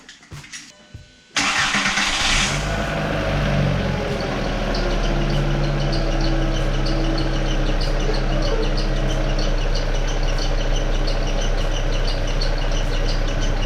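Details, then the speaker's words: MK4 VW Golf started cold after sitting overnight with the accessory belt removed and timing cover on: cranks, catches and idles with a faint recurring chirp; squeak persists, so it's from the water pump, timing belt tensioner, crank or cam gears; exact source unconfirmed. "okay so it's still back i'm gonna stop it real quick and see if i can capture it with the cover off"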